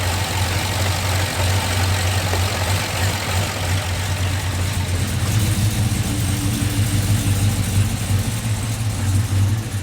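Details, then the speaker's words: Old Chevrolet Silverado with newly installed crate V8, first run before tuning adjustments: deep even idle with slight lumpy chop, no knocks, ticks or misses, no leaks; engine healthy. "I watched some videos it's doing good I mean he's still got to adjust everything but it's got a little bit of chop to it"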